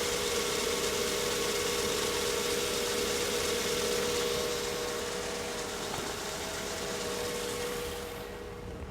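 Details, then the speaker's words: 1983 Mercedes 380SL 3.8-litre petrol V8, twin-row timing chain conversion, idling just after start: steady, even hum with an unbroken beat and no knocks or stumbles; normal idle. "this is a very nice driving car it drives as well as it looks"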